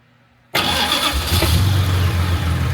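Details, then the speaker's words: Jaguar MKII after reassembly, fuel pumps primed with ignition on before starting; carburettors not yet tuned. Quiet, then the engine catches instantly on the first try and settles into a steady, even low rumble: normal start. "How about that? Huh? First fucking time."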